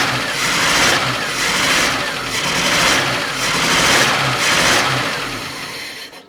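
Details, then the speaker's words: 1984 Opel Ascona 1.6S (90 hp) running after a new distributor cap and rotor: an uneven, lumpy beat with a stumble about once a second, because one spark plug is still not firing; the cause is not yet found. "I'm surprised that actually did not help one bit there is still a spark plug not firing"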